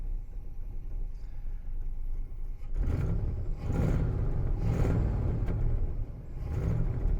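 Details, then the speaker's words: 1966 Lincoln Continental V8 first start after over a decade in storage, with fuel pump not working: low lumpy uneven rumble swelling and sagging about once a second; runs rough, cause not determined. "so holy it runs not very well but it runs it's running not good though"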